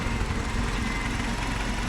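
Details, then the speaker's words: Farmall Cub tractor engine running steady and even with no misses or knocks, plus a slight hydraulic pump whine that the camera may exaggerate. Normal running. "Isn't that good? The hydraulic whine, it has a little hydraulic whine, but I swear the camera amplifies it like there's no tomorrow."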